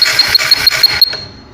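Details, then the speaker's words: TVS Apache CDI check for no spark at the plug: crisp, evenly spaced ticks, about six a second, with a thin high whistle, then they stop; the CDI senses the HT coil and fires the spark properly. "और जैसे ये बोल रहा है इस तरीके से बोलना चाहिए, जैसे ये टी की आवाज़ निकालता है इस तरीके से आवाज़ निकालना चाहिए।"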